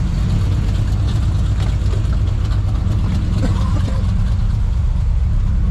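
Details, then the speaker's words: V8 truck whose carburetor, glued together several times, cracked and is leaking fuel and letting in too much air: deep idle with an occasional uneven fuel stutter. Rough idle stutter blamed on the failing carburetor. "Like, she's running okay. You can hear a little bit of stutter for fuel. But that's because the carburetor's letting in way too much air."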